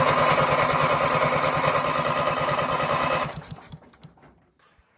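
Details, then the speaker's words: Ranch King riding lawn mower, cranking with the inline spark tester not flashing: fast, even starter chugging for about three seconds with no firing at all, then it stops; cranks but no spark. "If you watch when I crank it over, this here is supposed to flash right there. There's a light bulb in there supposed to flash. And I don't got that."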